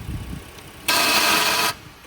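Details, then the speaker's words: 2009 Hyundai Sonata at auction, jump-started: a sudden high-pitched whirring burst under a second over a quiet running engine, then gone; sounds like the starter trying to engage while running, cause unknown. "something going on there I don't know what to make of that sounds like the starter is trying to engage uh on its own but sounds like the starter is trying to engage when it's already Running"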